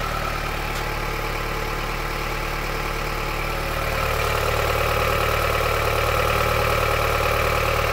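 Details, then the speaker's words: Honda CR-V 3rd gen 2.4 engine, warm, idling with all accessory drive belts removed: light, regular knock about three per second persists, so it is internal to the engine, not the belt-driven units; source unknown. "Ну что я могу сказать стук остался стук остался Единственное что мотор тёплый я недавно приехал как бы он стучал ещё сильнее То есть это дело не в приводных агрегатах Это в самом двигателе где-то постукивает"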